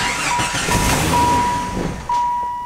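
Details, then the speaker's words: Jeep that fired up and drove fine until a tire came off, now starts then dies: engine catches, runs a couple of seconds, loses speed and stalls, cause unknown; garage door cracked open by the tailpipe. "this thing when i went to test drive it fired right up drove great until the tire came off like it'll fire up but then i'll just die"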